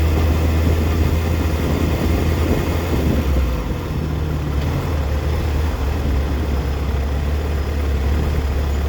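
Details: 2004 Yamaha FZ6 (immobiliser eliminator fitted) misfires coming down to idle: low, uneven, stumbling idle dipping as low as 970 rpm versus 1260-1320 rpm spec when warm; owner suspects a bad ignition coil, a common age-related fault.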